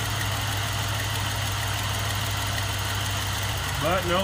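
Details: Suburban with a swapped GM 5.3L LS engine, with a dead-cylinder misfire since the swap, restarted after repairs: a steady idle with a slightly uneven, lumpy beat that stumbles now and then; a light misfire remains, and a tick is suspected to be an exhaust leak from broken manifold bolts.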